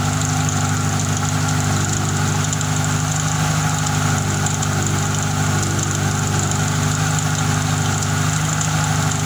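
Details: Fiat Tempra 2.0 16V, first cold start of the day, hood open, just started: loud rough idle with heavy exhaust drone and uneven knocking beat; owner wonders if bearing, piston or a simple accessory bearing, source not pinned down.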